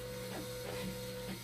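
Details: Dialysis machine acid and bicarbonate concentrate pump (24 V / 5 V): a steady mid-pitched mechanical whir with uneven clattering pulses every few tenths of a second; a noisy pump is suspected, cause not confirmed.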